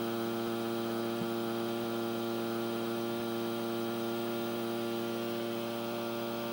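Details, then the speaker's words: Panasonic NV-M10 VHS camcorder playing back its own recording: loud, steady buzz rich in overtones drowning out the sound, with no colour in the picture; traced to a noisy supply rail in the Hi-Fi regulator circuit. "you can see that there's no color and from the audio there's only a buzzing"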